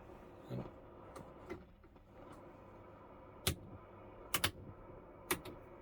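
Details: Pye 15A valve radio, circa 1946, powering up at about 145 V AC with HT rising: irregular sharp pops and crackles, about one a second in uneven clusters, over a quiet hum; cause unclear.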